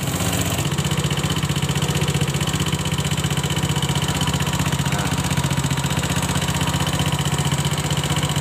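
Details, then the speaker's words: Honda Scoopy FI scooter with several days of rough-noise complaint, before disassembly, revving: steady fast ticking about four a second over the engine, valve tapping from excessive valve clearance. "Suara kasarnya hampir mirip dengan suara di bagian mesin ngeletreknya."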